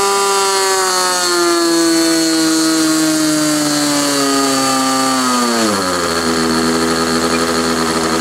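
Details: Glow engine on SIG Kadet LT-40 during break-in, restrained on ground, needle valve at about 1⅓ turns, possibly slightly lean at idle: high clean scream dropping smoothly to lower throttle, no sag or surge; normal running.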